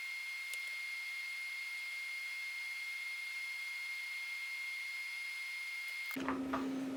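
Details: 20-year-old CD-RW drive burning a CD track by track: steady high whir with a thin constant tone, pitch dropping as the drive spins down between tracks; normal operation.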